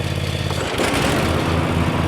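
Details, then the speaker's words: Cub Cadet Ultima ZT1 zero-turn with 50-inch fabricated deck and Kawasaki 23 hp twin: the V-twin runs steady, then a broad rushing swell as the PTO lever is pulled and the blades spin up. The engine holds speed fine, normal. "Run the mower deck, you're just going to pull your PTO lever up."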